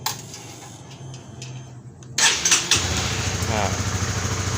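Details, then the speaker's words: Honda CB150R with an aftermarket alarm, after the forced ignition is restored: a few clicks, then the engine catches at once and settles into an even, steady idle. It starts and runs normally. "Nah, kita buka lagi, baru dia bisa hidup"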